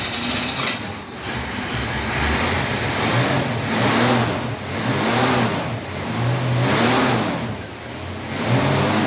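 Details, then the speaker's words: 1968 Mustang V8 idling steadily, then blipping repeatedly with clean rises and falls and no misfire; a slight exhaust leak is noted. "Listen to that thing hum. Listen to how smooth that thing sounds."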